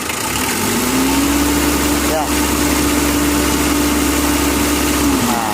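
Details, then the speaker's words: Mitsubishi L300 diesel with factory settings, never adjusted: steady, soft idle with an even hum and only a faint light rattle, feels soft rather than dense; normal idle. "cuman apa rasanya mesin ini empuk seolah-olah kalau kita dengan perasaan ya baik dari pendengaran perasaan itu empuk guys"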